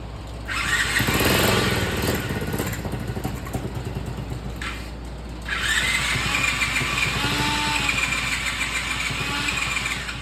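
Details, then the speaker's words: 49cc mini chopper two-stroke engine catching after cranking during a timed 30-minute get-it-running attempt; fuel was leaking back before the start. It buzzes unevenly, pausing then picking up again with a ragged, hunting idle, running but not quite right. "well well well well well I think it actually started huh"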